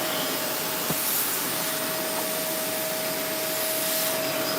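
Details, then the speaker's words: Vacuum cleaner during unclogging, checking airflow into the bin for a remaining clog: steady motor roar with even rushing air, airflow present, running normally. "But what we're looking for is uh air flow inside the bin, right? Cuz we still may have a clog down here. We don't know yet. Okay, let's turn it on. We have air flow."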